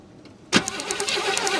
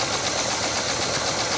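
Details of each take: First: 1968 Chevy Caprice after sitting 18 years, distributor cap off, corroded ignition points cleaned by cranking: two-second starter crank with sharp regular snaps as points fire; spark restored, normal cranking. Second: 1968 Chevy Caprice after sitting 18 years, first runs: fast light clattering lifter tick over shaky uneven idle as lifters pump up; way better than before but not perfect.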